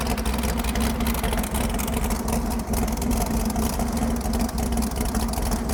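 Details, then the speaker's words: Ford Pinto wagon with stock long-block 454 and old Comp Cams Extreme Energy towing cam: fast, steady idle with hard busy drone; about 60 degrees advance claimed, over-advanced ignition timing, high idle. "If you ever wanted to know what 60 degrees of timing advance sounds like, Is that what it's at? that's what that is."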